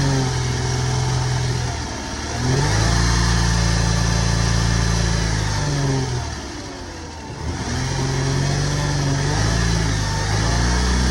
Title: 2006 Lexus is250 Engine Failure (Bad rod bearing or main bearing)